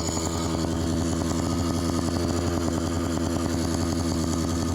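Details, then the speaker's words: Phantom 85 two-stroke engine with MS460 piston on a roughly 50 lb bike: fast, buzzy crackle held steadily high, idle won't settle low; owner suspects an exhaust leak letting in extra air and raising the idle. "I'm sure it's the exhaust leak. When the exhaust leaks on two-stroke, sometimes it introduces more air, which will make it idle higher."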